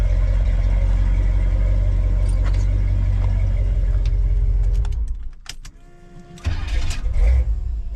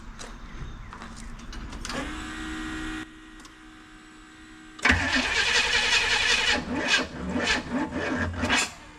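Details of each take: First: Squarebody Chevy dually after an HEI distributor rebuild; it had refused to start before. Strong, steady low rumble for about five seconds, then it drops away and returns smoothly, with even firing and nothing odd. Normal running. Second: Squarebody dually after an HEI distributor rebuild (rotor had a hole in the middle). Cranks, catches and stumbles unevenly, never settling to idle. Owner suspects the spark plug wires are one position off in the firing order: misfire.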